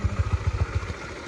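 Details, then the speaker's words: Honda CB150X bought March 2022, about 3 years and over 63,000 km, cam chain tensioner still original. A steady heavy tick-tock 'kelotok' clatter sounds over a quiet idle, cause not found; owner plans an engine overhaul. "Seperti ada bunyi itu ya, bunyi letak-letak ya. Nah, itu guys, bunyinya khas banget, kelotok-kelotok guys."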